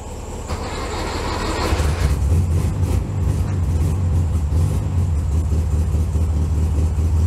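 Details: 1964 VW Bug air-cooled flat-four, cold start in snow at about 15°F: low steady chug catches and settles into even, slightly rising warm-up idle, no knocks; healthy cold start.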